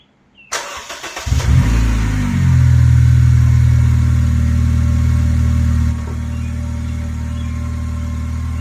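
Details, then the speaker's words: 2006–2011 Honda Civic 1.8L after replacing badly burnt spark plugs with new NGK Iridium plugs: starts quickly, revs once, settles to steady even idle with no misses; normal idle. "well guys it didn't blow up it's running nice and it sounds good"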